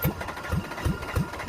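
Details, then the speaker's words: 1994 Ford Ranger 3.0 L V6 on nitrous after water fed into the intake manifold, engine wet, coolant later out the tailpipe: heavy dull knocks about three per second over a rough low idle, less healthy than before, rod knock after hydrolock. "oh it's wet she's a little wet it's not sounding as healthy as it did before"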